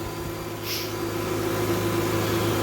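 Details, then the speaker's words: Mercedes ML500 started after the serpentine belt was refitted following a bad tensioner that let the belt walk off: steady even whir at the front of the engine with faint air compressor noise, no chirp; belt running true, power steering possibly low. "seems to be running pretty true I can hear air compressors making some noise and it sounds like it might be a little bit low on power steering a little check that but everything looks pretty good"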